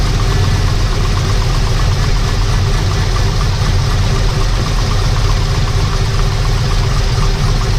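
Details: V8 engine after fixing a bad grinding noise from the accessory drive, with pulley and belt refitted and bolts secured with blue Loctite: smooth, even idle with a steady low rumble and no grinding; repair successful.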